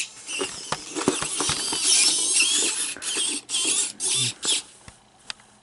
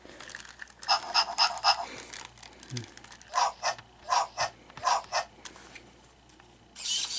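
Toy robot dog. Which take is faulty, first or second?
first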